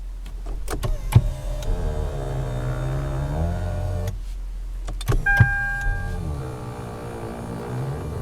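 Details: 2007 Lexus ES350 power telescoping steering column groans/moos as it automatically extends or retracts at vehicle start and shutoff; the column motor drones and moans each stroke; manufacturer calls it normal, owner considers it a defect.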